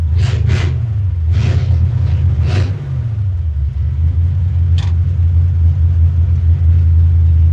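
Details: Ford flathead engine after Helicoil repair of a damaged aluminum spark plug thread and plug refitted: fires and settles into steady low rumble, even firing, no misses or knocks; running normally.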